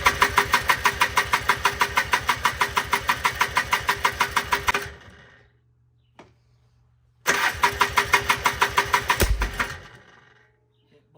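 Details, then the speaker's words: 1995 Polaris Trail Boss 250 that cranks but won't start: steady cranking chuff about three per second, then a second attempt ends in a sharp pop; backfires on every start attempt. "yep blew it apart again every time she tries to start"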